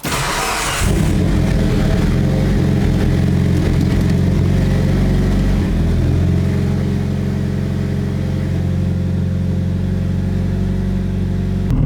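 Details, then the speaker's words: Mitsubishi Evo with Tomei downpipe, started after exhaust work: engine catches and settles into steady even low rumble, no puffing or ticking at manifold; no exhaust leak. "I don't hear anything that like sounds like there's an exhaust leak, so I'm gonna confidently say there's not one, but yeah, let's fire the car up and see what we got."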